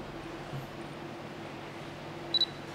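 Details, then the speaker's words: Camera autofocus confirmation: two quick high beeps in a quiet room as focus locks while the thumb holds the AF-ON button (used instead of half-pressing the shutter), before recomposing and shooting. "ấn vào nút afon để nó có thể giữ nét nó lấy nét này nó thay cho cái việc ấn nửa cò khi nghe tiếng này rồi thì bắt đầu mình căn hình nghiêng hình đi để mình lấy bốn cục"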